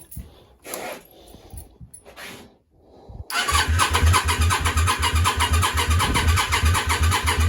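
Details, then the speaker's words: Yamaha Virago 535 with a new starter, jump leads attached: steady cranking about three turns a second with no firing; fuel smelled and coming from rear cylinder exhaust, spark suspected, crank no start. "SL she's not firing um well not no spark I thought fuel at first but now I can smell fuel something thinking spark"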